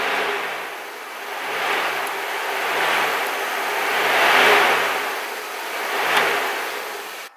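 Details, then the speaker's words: Car's cooling fan relay bypassed by pushing the contact across: steady rushing airflow swelling slightly, no grinding or ticking; fans work, showing the load side is good. "ways you can bypass the relay pretty much that tells you that the load side is in good condition so if you have your fans that are working"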